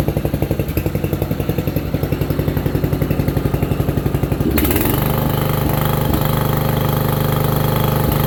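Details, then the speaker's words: Free roadside single-cylinder riding mower, revived and repainted, running with a little smoke that may be oil burning off: even thumping quickens, then settles into a smooth, steady run with no knocks or misses. Normal running. "motor runs good it's already slowing down start right up"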